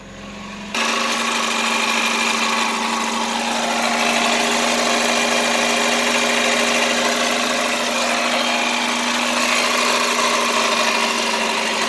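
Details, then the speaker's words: 1989 Chevy Celebrity 2.5 four-cylinder automatic, 255,000 miles, after replacing a bad coolant temperature sensor: starts and settles to a steady, even idle with smooth hum, no pinging or rattle; no leaks, fix confirmed. "no leaks i think i'll call that a fix"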